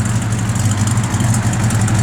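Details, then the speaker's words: 1967 Chevrolet Chevelle SS 396 V8 (4-barrel, Flowmaster dual exhaust, 400 automatic) now idling with a deep, even rumble, no ticks, hiss or stumble; the earlier noise quieted down, believed to have been just a small vacuum leak. "i think that quieted right down it must have just been a little vacuum lead"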